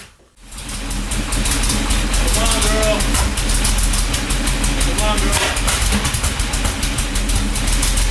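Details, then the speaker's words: 1977 Porsche 911 air-cooled, first start after months stored, fresh oil change, new oil cooler hose and battery: catches within half a second, settles into even steady idle, no misfire or knocking, little smoke; normal cold start and idle. "That's smooth. A little huffing and puffing. Not much smoke."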